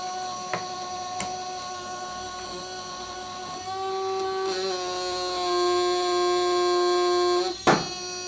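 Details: Tickler ELD relay demo on the bench: a steady electrical buzz with a clear high ring that shifts pitch midway and a click near the end; the relay chatters continuously. Cause suspected, not confirmed.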